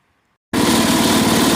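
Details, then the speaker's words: 1961 IH Cub Cadet Model 70 garden tractor, 7hp Kohler single, sat for years: silence, then catches and settles into a steady even idle, no misses or knocks. Normal idle. "Runs like a top. Fuck yeah! You idle? Freaking idle still."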